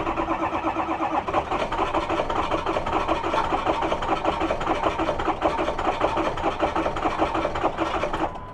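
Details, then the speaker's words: Ford F350 6.0 diesel with a replacement engine that won't cold start, glow plugs cycled in cold weather: long steady cranking about 100 turns a minute with no catch; hard cold start. "Cycle that glow plug couple times. It ain't that cold out here, man. Oh my gosh, this poor guy. This is terrible."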